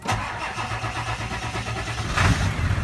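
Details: Ford F250 diesel cold start in snow after cycling the glow plugs twice: a brief crank, then it catches and settles into a steady low idle clatter with no stumble. A clean cold start.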